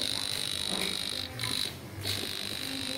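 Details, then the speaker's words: Homemade mini mains-frequency cable detector, switched on and run along a cable to find breaks: steady high-pitched tone along the run with one short dip; voltage sensed throughout, cable in good condition with no break. "Ini artinya bahwa kabel kita dalam kondisi baik teman-teman, tidak ada yang terputus ya."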